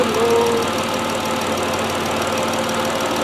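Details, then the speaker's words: 3.7 Duratec swapped into the Herbie project, running a 2011 Ford Edge PCM with an SCT-tuned 3.5 program, at first start: smooth, steady idle with no misses or hunting. One vacuum line is still off. "wow look at this folks smooth it idle down it's idling smooth listen to this engine"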